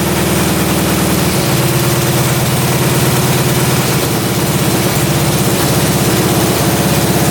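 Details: Russian Dnepr military boxer twin motorcycle sat 30 years in a barn, just after carburetor idle adjustment and fire-up; even, loping two-cylinder thump holding steady without stumbling or hunting; normal idle.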